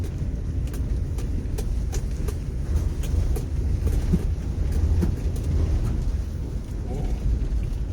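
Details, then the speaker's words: Mercury Cougar that sat from 1995, idling high: deep rough roar that surges unevenly and never clears at wide open throttle; the owner is unsure why it bogs. "she didn't like wide open throttle. Usually they do. I don't understand why it doesn't want to go wide open throttle."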